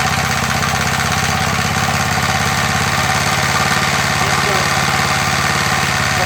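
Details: MTD edger with 3.5 hp Briggs engine, long-sitting non-runner after repair, idle adjustment screw refitted, choke off and revs brought up: runs fast and steady with no misses or surging; sounds healthy, normal running.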